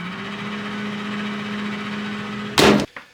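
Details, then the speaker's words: Panasonic microwave that keeps running with the door open; fan, light and turntable stay on: steady fan and magnetron hum continues through loud door clatter. "the moment you open the door the microwave keeps running you can hear the fan the light everything is on the turntable uh three is also turning"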